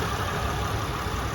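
Steady, even idle with a smooth low hum and no knocks, ticks or squeals; this engine sounds healthy.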